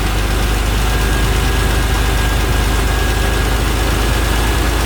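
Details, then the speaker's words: 1991 Acura NSX track car with J-series swap on AEM standalone ECU: idle air cracked open to raise idle a few hundred rpm for stability, steady even drone, now idling around 1050 rpm before ECU retuning. "So we're gonna come up a few hundred RPMs there."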